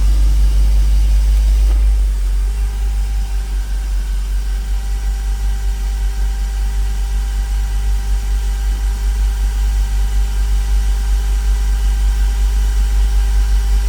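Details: Porsche Boxster 986 after intake leak fix, verified by vacuum leak and water spray tests: deep, even low rumble with a steady pulse, no stumbles or hunting; idle smooth from cold start to warm at 650–700 RPM.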